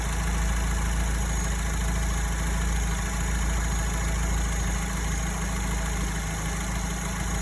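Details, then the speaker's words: Alfa Romeo 159 idling after repair of a rattling engine-room noise that began after a long drive, with the A/C compressor replaced: steady even idle, smooth low rumble, only a faint metallic tick; strange noise gone. "Qu'est-il arrivé à ce bruit étrange? Oh pas de bruit étrange"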